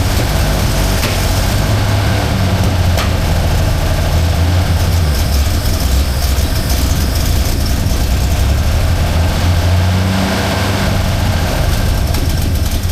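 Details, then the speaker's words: 1977 Holden HX, 202 engine, three-on-the-tree manual, which only idled high on choke: heavy lumpy low idle that dies out when revved, no clean pickup; carburettor set up wrong with accelerator pump fault. "As you can see, it runs, but it's um can't really rev it. It's dying out for some reason."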